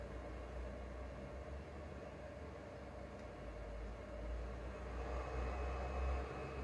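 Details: Used PS4 Pro with no disc inserted, before cleaning and thermal paste replacement: loud steady rushing roar with deep rumble, mainly fan plus a little hard drive; overworking cooling fan suspected.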